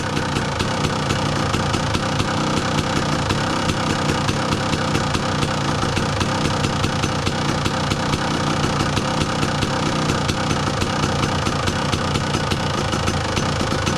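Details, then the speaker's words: 2002 Kawasaki KDX 200 two-stroke, about warmed up; crisp, even crackle holding a steady idle speed without stumbles or hunting; normal warm idle. "so listen to the idle speed right now that's about warmed up"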